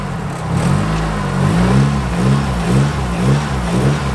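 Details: Nissan S13 200SX after soldering the number one cylinder wiring fault and refitting the connector: revs blipped up and down cleanly with no stumble or popping, misfire fixed, firing on all four cylinders.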